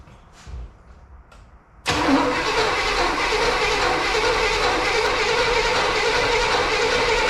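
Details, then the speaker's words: 1978 Camaro Z/28 cranked with starting fluid and a test fuel filter: starter turns about two and a half times a second without catching; 12 volts present, no spark, no fuel delivery; distributor and fuel pump bad. "okay and then crank all right we have 12 volts the whole time so that's not the problem there's no spark okay so the distributor is no good the fuel pump's no good and the distributor is no good"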